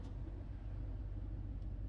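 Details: 1993 Dodge Ram pickup "Big Red" started out of gear to hear exhaust: steady deep rumble, even unbroken beat, no knocks or misses; engine caught and idles smoothly, normal.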